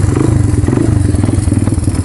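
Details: 1995 Honda XR200R, cold engine just after starting: loud, uneven single-cylinder thumping at low idle that struggles and nearly dies, not settling until warm; rough cold idle, near stalling, cause not confirmed.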